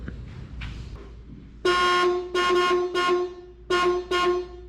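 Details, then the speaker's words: Abandoned 1965 Ford Ranchero 4x4: horns reconnected directly after being unhooked, five short strong clear honks with clean cutoffs — horns working normally. "hooked them back up to the horns and they work just fine"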